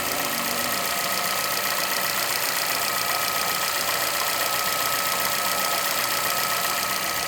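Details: 2011 Chevrolet Celta VHCE Spirit engine at steady idle with an uneven knock about four a second; owner asks what the noise is, cause unknown.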